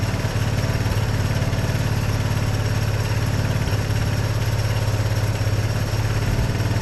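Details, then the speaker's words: 1982 Honda ATC 200 Big Red after years of storage, freshly started: steady, even single-cylinder thump at about 214 beats a minute with no knocks or misses; runs pretty decent; normal idle. "But that runs pretty decent, really."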